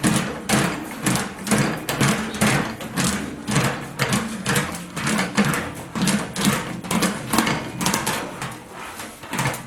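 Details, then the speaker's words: Large panel skidding through a homebuilt English wheel with a 3.5-inch radius wheel on a very loose setting to knock down lumps: a rhythmic scraping rumble about twice a second. "got a very loose setting I don't we just wanna knock down those lumps just skid around any which way in there"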